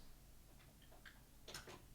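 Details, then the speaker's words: Lutron Maestro fan control and light dimmer switch rocked up and down: a few faint, soft clicks from inside the switch as the light dims in a quiet room; normal dimmer relay clicking. "the light when you click it up and down it kind of you can hear it rocking in there you know maybe switching you know whatever it does for allowing the voltage to go to the device so it it'll click up and down"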